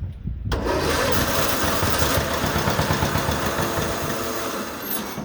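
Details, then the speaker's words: STX338 Hydro lawn mower cranking: steady, uneven starter churning about three turns a second with no catch or firing while the exhaust pipe spits out fuel; cranks but won't start. "He's getting trying to start. Right here, the exhaust pipe, she's spitting out fuel."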